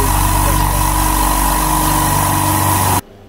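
Even, steady hum with a low pulsing beat, then it cuts off cleanly; a healthy, quiet oil-less compressor pump running normally.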